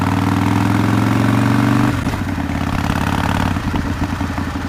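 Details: 2005 Harley-Davidson CVO Fat Boy after replacing a stripped clutch hub, the clutch and the bearing, around a test ride around the block; loping V-twin idle at a steady low pitch with no clatter or grinding. Working better than before the repair.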